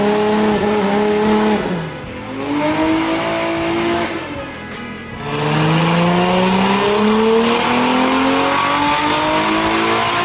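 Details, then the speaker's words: S14.9 with a new 2JZ VVTi engine, different head and manifold, on its first dyno power runs during base tuning; a hard note climbs steadily, briefly drops twice, then pulls high again, smooth with no knocking. Normal high-rpm pull. "First few power runs, she's sounding nice. Between the different head and manifold, it definitely sounds different."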